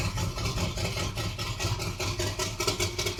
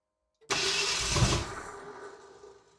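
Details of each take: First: 1978 Ford Bronco revived after decades sitting, just started after priming fuel, engine still cold (temperature gauge not yet moved): catches and settles into a steady, lumpy, throaty idle with loud exhaust bark; runs evenly, pipes way too loud. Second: 1978 Ford Bronco pulled from a salvage yard after sitting for decades, partly rewired, fuel system primed, first start attempt with choke on: about a second of cranking that turns over but never fires, then dies away; cause not confirmed.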